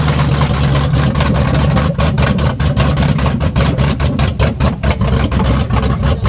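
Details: Ford Coyote V8 swapped into a Fox-body Mustang, restarted after its first start with fuel pressure running too high: deep, loud, steady idle rumble with even firing pulses, no misses or knocks; engine runs healthy.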